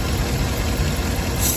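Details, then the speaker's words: 2012 Cadillac Escalade 6.2L V8, compression checked running: low lumpy uneven idle, cylinder 7 has no compression, below 25 psi; misfire from stuck-off collapsed lifters, per bulletin PIP 4568S. "so now it's working the compression but in this cylinder number seven we don't have"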